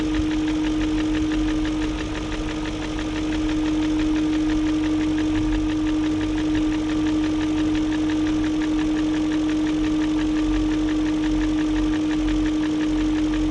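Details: 2001 BMW E38 740i Sport steady idle with constant whine: light quick ticking three to four per second persists after timing chain guide, tensioner and VANOS profile gasket replacement; no codes; owner suspects VANOS unit, unconfirmed.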